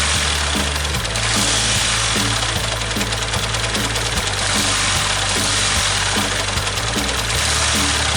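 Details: Yamaha New Vixion motorcycle, clutch and rocker arm bearings found loose: steady running with a repeating low knock about three per second over the idle; sounds like a worn crankshaft bearing, engine teardown needed.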